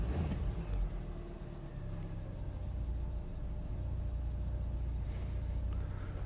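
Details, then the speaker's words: 2004 Citroen C4 1.4 petrol (KFU), previously a non-runner with open-circuit codes P0201–P0204 and P0443, after a wiring and relay repair: starts and idles smoothly with an even, low rumble and no misses; no fault codes return. "so it's time now to attempt to start the engine and there is running absolutely fine"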